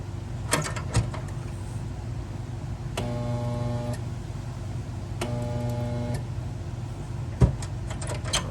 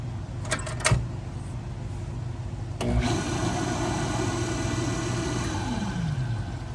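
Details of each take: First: Pool pump electric motor that quit working: steady buzzing hum for about a second each time power is applied but never spins up, not enough juice to start; failed start capacitor, fixed by replacing it. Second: Pool pump motor that had quit and only hummed weakly, after replacing its start capacitor: clicks, then starts and runs with a clean steady hum, no grinding or stalling; normal running, still needs priming.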